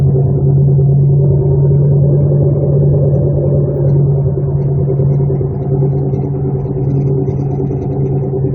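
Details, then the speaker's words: Heavy low droning rumble cruising at about 35 mph in a 1999 Chevrolet Malibu, right after a brake job; badly worn wheel bearings needing immediate fixing. "this needs fixed immediately foreign thing is I just put brakes on it but she didn't say anything about it making this noise"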